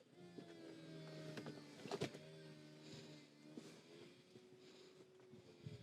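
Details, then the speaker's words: Nearly 19-year-old Saab convertible: steady electric motor hum with shifting pitch and a few soft clunks as the roof travels; the roof works normally. "Makes all the right noises. Seems to go down a treat. We've tried it a couple of times, up and down, up and down. The roof works good."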